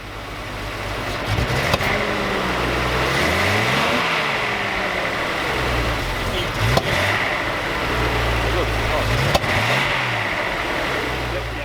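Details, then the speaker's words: Datsun 280Z sitting about 20 years, running after a new taller battery: revs rise and fall unevenly with sharp pops and stumbles. Throttle hesitation, likely backfiring; pressing the AC button kills the engine. "there was some hesitation when opening the throttle and that popping which is more than likely backfired"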